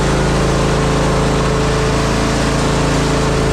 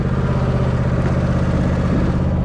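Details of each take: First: Zero-turn mower, previously a non-runner, engine at full throttle: steady running with a fine metallic buzz; owner suspects the heat deflector shield on the back rattling. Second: Zero-turn mower, revived non-runner, mowing: steady, even low engine drone with a firm regular beat, no knocks or misses; mows all right and engine runs pretty good.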